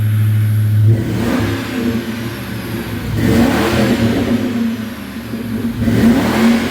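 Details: 1996 Ford Mustang GT convertible, 4.6 2V automatic, after engine fix, stock H-pipe and Thrush chambered mufflers: climbs cleanly through several blips with a deep even exhaust note and no knocks or rattles; healthy.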